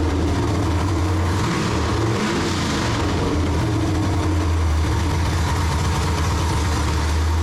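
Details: Freshly built forged 6.0L V8 with LSA supercharger for a 1969 Chevelle, first start: strong, steady, even idle with a deep smooth rumble and no knocks or misses; healthy engine, normal idle.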